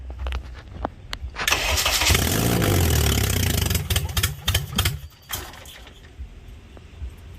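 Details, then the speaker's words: K24A-swapped DC2 Integra on E85, first-ever start; injectors and fuel rail checked, no leaks: starter cranks steadily about three seconds with an even chug but never fires; TDC and camshaft position sensor connected backwards, fixed by swapping plugs. "On that first startup, ends up I had the TDC and then the camshaft position sensor connected backwards, so plugged those back around,"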